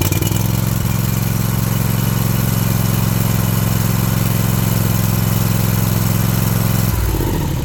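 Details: Toro zero-turn mower with clicking no-crank complaint, new solenoid, starter found locked up and now freed, new air filter: engine catches and holds strong, even idle about three beats a second before winding down; normal idle, starter still suspect.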